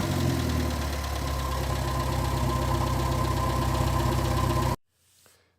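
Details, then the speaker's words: 1958 Morris Minor ute (LCV pick-up) engine, first start after sitting 20 years, oil pressure gauge fitted showing 50–60 psi. Smooth, steady idle with a regular low pulse about four per second and no knock or tap, then shut off; surprisingly healthy. "I guess the summary for this engine is that it's in surprisingly good condition."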